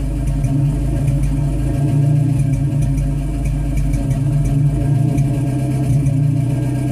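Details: 1985 Toyota 22RE four-cylinder petrol engine misfiring at idle: low steady beat drops out now and then.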